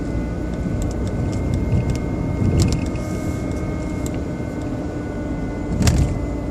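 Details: BMW 120i E87 at smooth idle: a thin, steady motor-like whine with constant pitch. It was not cured by an oil change, and the owner thinks it comes from behind the air cleaner box. Source undetermined.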